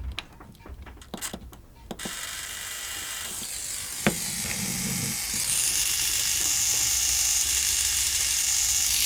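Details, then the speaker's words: Old RC servo on a servo tester, held tight by hand with no horn; a few light clicks, then a steady high-pitched gear whir with no slipping or grinding; the servo is healthy. "I would say that that Servo is all right yeah I say that Servo is all right"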